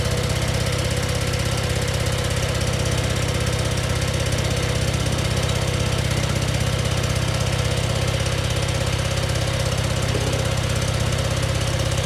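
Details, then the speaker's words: Scag zero-turn mower with a replacement engine, fresh oil and a new oil filter, on its first start; it started right away and holds a steady, even drone with no knocks or stumbles; normal running. "started right away, and sounds like it's running pretty good."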